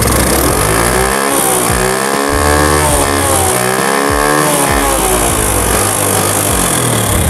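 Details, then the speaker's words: Honda Grand motorcycle lacking power, after valve clearance adjustment: engine revving with harsh clattery mechanical noise over exhaust, still noisy; clearance found correct, so camshaft or rocker suspected, not confirmed. "masih berisik sekali ya suaranya kita paste lagi di bagian x-nya"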